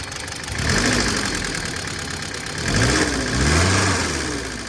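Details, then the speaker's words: 1974 Ford Courier, 56,000 miles, cold start with choke, Hitachi carburetor, factory electric fuel pump: four-cylinder idling slightly uneven with small surges; probably not running perfectly; rough idle. "probably not running perfect like I said these Hitachi carbs a lot of people replace them with a Weber"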